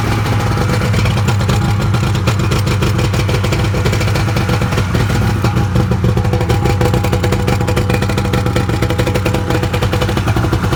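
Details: 1998 Kawasaki ZXi 1100 two-stroke jet ski that took on water and had no spark, now with plugs reinstalled: a steady low drone with quick, even pulsing and no misses or knocks. Runs cleanly, though the owner notes a slight bog elsewhere.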